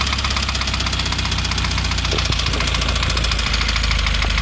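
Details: Subaru FA20DIT flat-four at cold start idle: busy irregular knock riding over the burble, with a few sharper raps standing out; engine knock on cold start.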